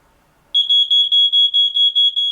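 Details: RV trailer smoke detector with an eroded test-button contact, triggered by burning paper: loud high beep pulsing about four times a second; detector alarms normally.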